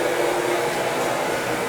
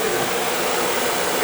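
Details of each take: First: Viessmann oil-fired boiler, after a new nozzle and reset pump pressure: steady, even burner roar with no spitting or sputter, good oil flow, no smoke. Burner firing normally. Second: Viessmann oil-fired boiler, no heat: steady blower roar with no light-off. Oil flow confirmed, pump pressure reading doubtful. Nozzle suspected dirty and being changed; no ignition.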